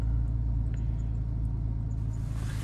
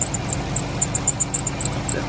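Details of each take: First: 2012 Dodge Grand Caravan 3.6L with an intermittent no-start, after cleaning the wireless ignition module (WIN module) with electrical contact cleaner: fires up and settles into a smooth, even, healthy idle, better than before. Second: 2012 Dodge Grand Caravan 3.6L at idle: sharp high-pitched chirping squeal about four times a second over a steady idle. Owner suspects an alternator or pulley bearing but is not sure.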